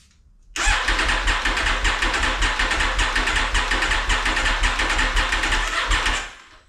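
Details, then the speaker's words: Aprilia Tuono V4 after valve clearance service and oil fill, battery charged after sitting: fuel tank connector unplugged, cranked 20–30 seconds to build oil pressure before first start; fast, even starter churn, no firing, normal cranking with fuel cut. "the fuel tank connector is still off um I'm going to I'm going to crank it over a few times uh maybe for like 20 to 30 seconds and then um we will see it build some oil pressure"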